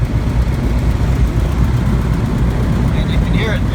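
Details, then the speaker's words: Van's RV-12 aircraft engine at annual inspection, cold, crossover tube removed, twin carbs found quite a bit out of sync: uneven, lumpy idle with wavering low drone; rough partly from cold, partly from crossover tube removal; rough idle, carburetors out of sync. "It's kind of rough. Now, it's partially rough because it's cold, and it's partially rough because of the crossover tube being removed."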